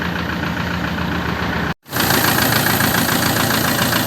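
Steady diesel idle with the usual injector clatter and a brief cut in the sound; even rhythm, no misfire, a healthy engine.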